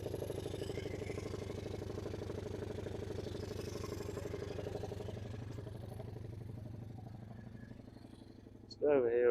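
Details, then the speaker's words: Suzuki LT160 quad, sat 3 years, after tightening the loose carburetor fitting, no air filter: even low single-cylinder putter holding steady without racing; idle is no longer too high. "that sounds pretty good you know it doesn't seem to be idly too high"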